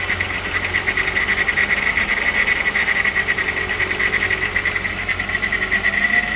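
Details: VR6 AES petrol engine idling, with a fast, dry metallic chatter on top from a rattling timing chain.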